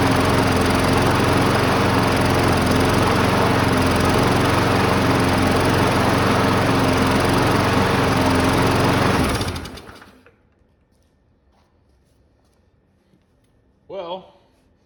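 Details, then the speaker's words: Cheap abandoned Briggs & Stratton lawn mower, newly reassembled with no prime button: runs at a steady rapid putter for about 30–45 seconds, smoking more the longer it runs, then cuts out and spins down; fuel restriction suspected. "that's very very much like she did the first time we got her started you'll recall she ran about 30 45 seconds and quit no longer it runs the more it smokes"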